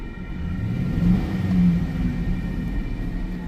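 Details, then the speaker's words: Automatic transmission shows oil on the dipstick after filling, yet won't move in drive; engine rises and falls in an unloaded rumble with no take-up, reverse gives nothing, second barely engages with grinding or screeching underneath. "I see it on the stick. When I put it in drive, it doesn't go anywhere."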